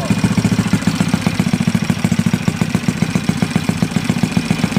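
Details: Yamaha Mio Sporty 180cc build, 59 block, 50RT big-valve head, 1.5 pin, on stand before chassis install: steady even putter about four beats a second, no knock or rattle; quiet, smooth, clean idle.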